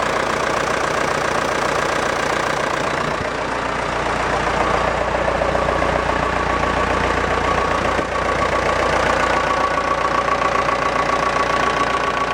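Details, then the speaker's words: Massey Ferguson Super 90 tractor, Perkins diesel, first test run after new head gasket, planed head, new fuel shutoff valve and rubber fuel line; even clatter about four beats a second, no knocks or misses; normal idle. "I'm gonna give it a try hopefully there isn't too much air in the system I did bleed it initially but okay a little bit of throttle"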